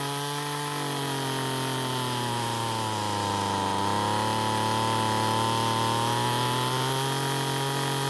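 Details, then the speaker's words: Ryobi two-stroke trimmer that wouldn't start, after turning carburetor H screw counterclockwise for more fuel: steady high-pitched buzz dipping and recovering smoothly with throttle; runs clean and even after carb adjustment. "so what i did was turn the h screw counter clockwise to give the engine more fuel and after squeezing the trigger the engine ran much better"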